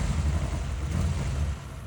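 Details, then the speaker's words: 1986 Ferrari 328 GTS with Bosch CIS injection, first start after restoration: low, lumpy, misfiring rough running that sounds out of time; ignition control unit questioned, and a broken flow-meter balance plate was found later. "It fired right up pretty quickly, but it sounds like it's out of time."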